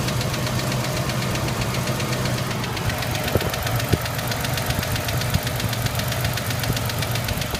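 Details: Ford Ranger: steady, fast light ticking over the idle without changing; top-end tick, cause not pinned down.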